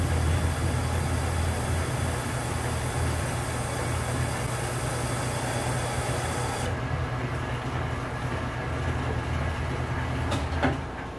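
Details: Metal lathe, 29/64 end mill drilling a chrome-steel precision ball (outside suspected hardened, inside not), speed increased a little; steady low hum with an even cut, no chatter or squeal: cutting cleanly.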